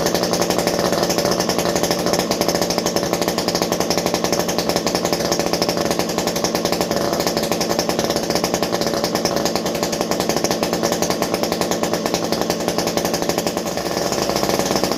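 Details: Stihl MS201T chainsaw, fully stock, about ten years old and worn, just deep-cleaned: a steady high-revving buzz with a crisp, even rasp and no surging or misfire; normal running.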